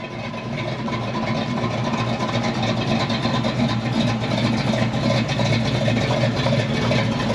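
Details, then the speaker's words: 1967 Ford Mustang with 347 stroker, manual, driving after the clutch fork was replaced and adjusted for a clicking, grabbing clutch (bad throwout bearing). Steady, even engine drone with no clicking or clunking from the clutch: normal. "much feels better yeah I don't have any immediately I don't have any clicking which that's huge right now it's not clicking it's it's not grabbing"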